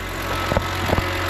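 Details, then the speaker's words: BMW 128i after intake manifold upgrade and engine refresh, fresh 50-50 coolant, warming up: soft, slightly wobbly idle beat with a couple of light thumps, otherwise even; normal slightly uneven idle. "Thankfully it's a little wobbly, isn't it? Anyways, Sometimes they're just a little wobbly."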